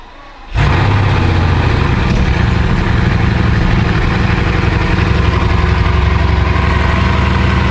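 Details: Repossessed Bugatti Veyron W16, 4 turbos, 16 cylinders, coolant suspected low: after start settles into loud heavy idle with uneven lumpy beat, suspected misfire; car runs but won't drive.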